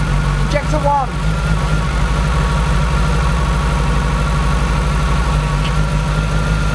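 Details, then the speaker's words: Renault Clio engine at idle, injectors unplugged one at a time to find the faulty one: lumpy, uneven stumbling beat with one cylinder dropping out; suspected over-fuelling injector, likely injector 3, causing misfire; injector failed after sitting off the car for months. "what we're going to do is we're going to run the car and we're going to unplug each of these injectors as we go the idea being that if one of them is not behaving correctly then it will make the the engine chug a lot"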